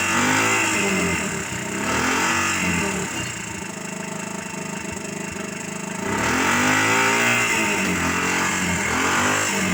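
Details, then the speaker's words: Suzuki Carry 1.0 fitted with a Suzuki Thunder 125 motorcycle engine, revved: loud, raspy note with harsh crackle up top; exhaust is the original bend routed rearward as a bare pipe with the silencer removed, so it sounds like a motorbike. "Jadi suaranya cukup keras karena ini pakai mesin motor, jadi suaranya ya tetap kayak motor ya teman-teman. Cuman kalau knalpot motor itu kan di ujung knalpot itu biasa ada saringannya."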